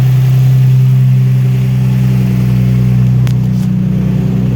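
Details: Infiniti G35 at idle: a quick, fairly even ticking or knocking, roughly three per second, riding over the engine note; the owner has no idea of the cause.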